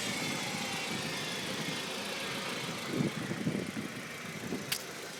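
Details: 2005 Audi A4 1.8T on cold start: loud steady whirring whine over a quiet idle from below the passenger-side headlight, gone once driving; the secondary air injection pump was dying, fixed by replacing it.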